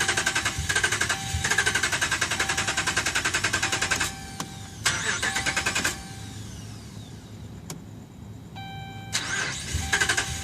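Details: 2011 Dodge Ram, about 75K miles: several starter cranking bursts with a chime between tries, engine never fires; crank no start, dealer found defective TIPM (Totally Integrated Power Module), replaced under warranty.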